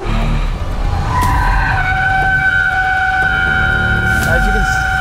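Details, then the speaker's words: CNC boring cut: a harsh, steady, high-pitched ringing squeal rides over the cut with rough clatter underneath; machining chatter, described as sounding terrible. "as you can hear that sounds terrible so this brings us to one of my more popular videos how to remove chatter"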